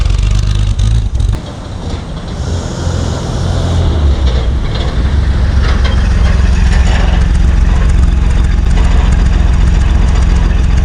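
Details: 1955 Plymouth Plaza two-door wagon whose engine was locked up and sat 42 years in a Texas field: old V8 fires and settles into a lumpy, uneven idle with heavy low rumble; kept dying in gear, owner suspects tight brakes; oil and antifreeze leaks; rough running.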